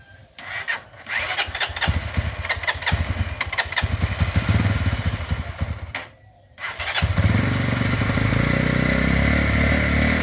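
A small motorcycle engine starts and runs unevenly, cuts out for a moment, then restarts and idles.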